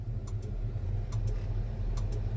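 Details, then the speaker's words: Versatile 2375 tractor, key on, March service before season: turn signal relay clicks steadily about every 0.85 s over a low hum, but front and rear signal lamps don't flash. "hope you can hear but you can hear the relay clicking but that's not flashing that's not flashing"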